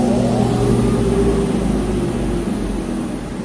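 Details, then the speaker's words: Universal Laser Systems large-format laser cutter, vacuum blower switched on: steady whirring hum with even tones, no rattles or scraping; blower running normally. "Basically, you're just going to come over here, click start, and then click start on the vacuum blower. Now everything is good to go."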